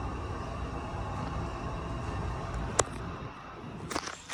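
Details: Schindler MT elevator, noisy enough to hear from outside, ride recorded inside car: steady hum with faint whine during travel, then sharp clicks and thumps as car slows and stops.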